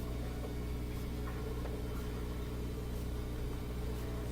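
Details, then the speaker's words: Bosch Axxis washer in the diagnostic test drain stage. The pump gives an even, steady hum with water rushing and no rattle or strain, and drains normally; the complaint is no spin during the cycle. "Drain seems pretty good. Seems like it's sounds like the water is moving quickly."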